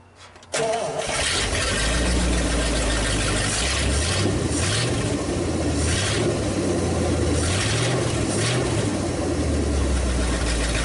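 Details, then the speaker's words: 1956 Studebaker/Packard 352 V8 in a motorhome, earlier hard starting from low compression, now fired up on test with downpipes: catches after brief crank, settles into steady low even idle, no ticking or knocking; runs well, normal idle. "I think this is gonna be just fine so runs really good no no no noise good old"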